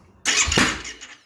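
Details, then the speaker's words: 2009 Yamaha YFZ450R fuel-injected, electric fuel pump, crank no start: one sharp pop while cranking that dies within a second, a backfire on a start attempt blamed on low fuel pressure. "Backfired there. So let me change my scaling."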